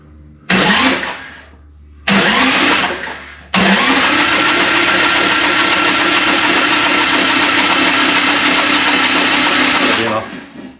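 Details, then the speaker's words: Harley Evo chopper engine, sat empty of oil a long time, cranked over with spark plugs removed to circulate oil before first start: two short starter bursts, then a steady six-second quick, even spin without compression pulses. "So what we're going to do is, before we start the engine, I'm going to take the plugs, spark plugs out. I'm going to cycle the engine just to get the oil moving through the engine, because it's been sitting empty for a while."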